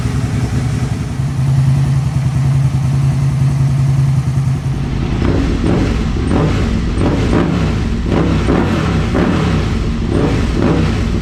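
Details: 2002 Aprilia RSV V-twin first start after service with fresh oil and filter: even steady idle picking up into clean crisp revs without stumbling; sounds healthy and smooth.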